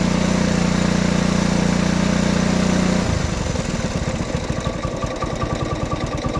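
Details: Honda ATC 90 running after sitting 50+ years, carburetor sandblasted, points adjusted, valve clearances checked: settles from a steady start-up drone into an even putter of about three firings a second; running clean and healthy.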